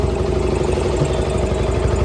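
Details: Yamaha R15 V2 after fuel tank cleaning (water suspected in the tank, poor throttle response), fitted with a non-original K&N-style air filter and 2 L of petrol: even, steady single-cylinder idle, firm low thrum, no misfire or stumble.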